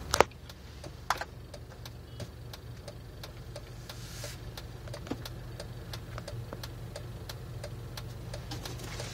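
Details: Jeep at idle: low idle hum with light ticks about twice a second and a slightly uneven beat; rough idle, cause not yet clear.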